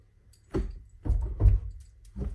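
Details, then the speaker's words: Honda EM1 Civic with a sloppy shift linkage and an automatic mid pipe fitted: dull, uneven low clunks, about five in under three seconds, as the shifter knocks against the exhaust pipe. "Yeah, see? And it's hitting the exhaust because I'm running a automatic mid pipe"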